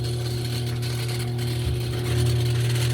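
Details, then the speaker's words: Classic Kenmore washer that won't wash or spin: steady low motor hum with a faint, uneven rattle from a broken motor-to-transmission coupler, so the transmission doesn't turn; lid switch bypassed. "Okay, ahí tenemos el sonido característico de un copling malo. Se escucha inmediatamente."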